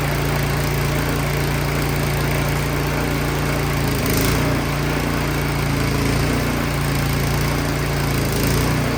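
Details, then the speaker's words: Craftsman 22" snowblower that would not start, after repair and partial reassembly, started on choke: steady even single-cylinder drone with no misses or knocks; running great. "that is awesome. It's running great."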